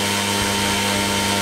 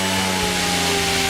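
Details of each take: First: Goblin 500 helicopter spun up to half stick in normal mode, then switched to idle up one (set for 85) and idle up two (set for 95): steady motor and rotor whine with no pitch change; head speed does not change between flight modes on the first cycle. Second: Goblin 500 electric RC helicopter back in normal mode at half stick after cycling through idle-up modes: smooth, steady whine at an even pitch, sounding like the correct 75% headspeed, whereas the first spool-up goes to 100%.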